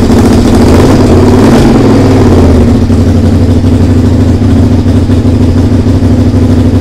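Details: SV V-twin under restoration, just started after carb rebuild, TPS setting, regulator change and fresh fuel: a loud, ragged, chuffing idle that won't settle. It runs badly, and the owner suspects an exhaust leak.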